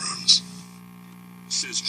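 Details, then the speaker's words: 1964 Magnavox Connoisseur AM/FM tube clock radio before replacement of its old electrolytic capacitors: a steady low hum under the audio with a few clicks. Tired filter capacitors are suspected; the speaker also shows voice-coil rub. "this pole switch has no real effect actually the switch is happening in this and as you can hear the hum in the background it's not that bad"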